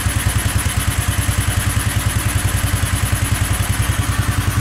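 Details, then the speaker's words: Go-kart small single-cylinder engine in snow, just above freezing, after a hard cold start: quick, even putter at steady idle, cold engine settling in and running fine. "wow wow all right it's picking up a little bit now"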